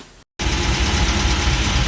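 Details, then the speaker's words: Old MG, smokes heavily but runs well, at idle: light, fast, even ticking over the engine note. Owner suspects valves need adjusting, unconfirmed and possibly normal. "little mg runs good smokes like crazy but runs good I think it's got a the valves need to be adjusted you can hear it ticking"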